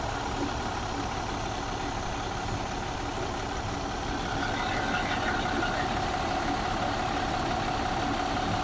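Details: 2014 MCI J4500 coach with a fresh engine (listed as Cummins, also called Volvo) and Allison B500 transmission, rear engine bay open on a hot day: steady, even diesel idle with a smooth low rumble and no knocks or misses; healthy.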